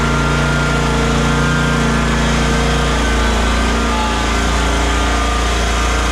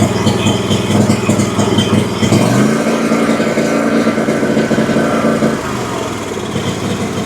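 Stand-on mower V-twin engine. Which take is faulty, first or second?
second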